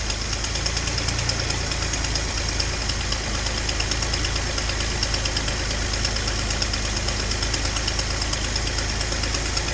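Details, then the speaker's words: Datsun 240Z inline-six on carbs idling after spark fix, back from running on four cylinders. Quick, slightly uneven ticking puff over exhaust note from a known exhaust leak on cylinder two (EGR port suspected); idle still not great. "um you know you can probably hear i got a bit of an exhaust leak uh and the idle's still not great i'm guessing well i know there's an exhaust leak on two"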